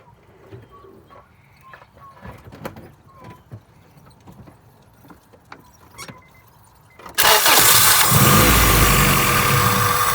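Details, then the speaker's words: 1999 Acura Integra GSR with a no-start problem: after starter fluid is sprayed into the intake, the engine catches and roars into a fast, busy idle, showing the fuel pump is bad; the pump is then replaced. "So, you see, it just cranked up with spraying the starter fluid in it. So that means that my fuel pump's bad."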